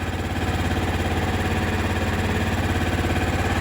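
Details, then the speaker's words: Older Kawasaki Mule 550 UTV engine, first run after sitting at least 2–3 years, old fuel system: even, steady low putter of about three and a half beats a second with no smoke, misses or knocks, a healthy idle. "Not smoking. Goodness gracious, it actually sounds okay."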